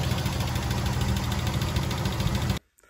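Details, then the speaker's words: Nissan 300ZX Z31 engine idling with engine-bay view after a tune-up and oil change: smooth, regular idle pulse with no tapping or stumbles until shut off; engine sounds healthy. "Yeah, so we're just leaving the engine on automatic mode. Yep, everything sounds pretty healthy."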